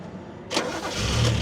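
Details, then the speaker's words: Toyota Cressida MX32 JDM from a wreckers, long sitting, running with the blocked fuel filter removed: cranks and catches quickly, then a smooth, steady idle with no misses; runs fine until fuel runs out. "it's running perfectly now took this out we took the fuel filter out and now it works"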